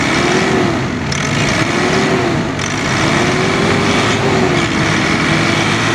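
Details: Ford Everest diesel after injector testing and refitting for fuel knocking and grey smoke: engine runs smoothly through a few light revs with no knocking; fuel knocking gone, now normal.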